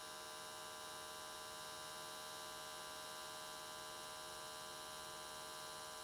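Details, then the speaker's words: AC TIG welding aluminium S13 catch cans, vertical welds, after switching to square wave: steady, even buzz at one pitch with no crackle or wandering, arc definitely more stable than before. "so okay it looks like everything came out really nicely the arc was definitely more stable"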